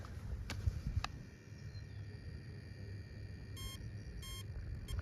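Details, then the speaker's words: RC truck carrying two 2S 2000mAh lipos (125C and 150C) in a blind C-rating test, after about 5 minutes of driving outdoors. Two short high beep bursts: the speed controller has hit its thermal cutoff and needs to cool. "so that's temp we're going to let it cool off we're going to come back out here for round two with the other battery that we don't know of"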